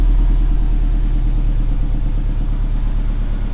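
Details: Rebuilt Series Grey Subaru STI, first cold start after rebuild: deep steady burble with a fast high cold idle, even firing and no knocks or rattles; quiet, healthy engine.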